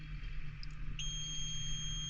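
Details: Idling tractor cab while relays and 60 A fuses are traced; the AC clutch engages. One steady high-pitched beep of about a second sounds over a low idle rumble. The cab warning alarm's cause is unknown.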